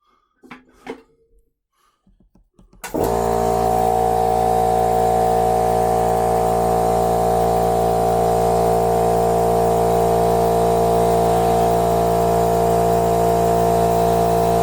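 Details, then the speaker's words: Makita MAC 5200 air compressor after repair: it had stopped building pressure, a foreign object was removed from the pump chamber and it was resealed. Motor starts about three seconds in, steady hum with a fast pump beat. Normal run, building pressure. "All right, before I screw everything together, I want to see if it'll make some pressure. So that's what we want to see go up."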